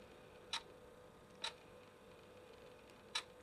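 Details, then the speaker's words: Canon EF 70-300mm f/4-5.6 IS USM zoom lens: sharp, irregular 'chick' clicks as the image stabilizer turns on and off; normal for this lens, not broken. "you hear these chick chick sounds. It's just the image stabilizer turning on and off."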